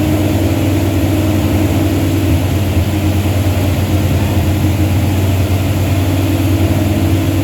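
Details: Truck with a 360 Mopar LA V8 and a Holley double-pumper carb, idle turned up, vacuum gauge attached: loud, deep steady drone held well above idle, never settling; won't idle below about 1,500 rpm. Vacuum leak or carb suspected, unconfirmed.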